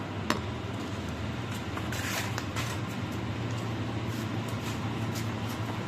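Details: Motorcycle Pro-Link rear suspension linkage after replacing water-damaged dry bushings with new ones greased with lithium grease; worked through its travel, only soft handling sounds, no creak or squeak, noise gone.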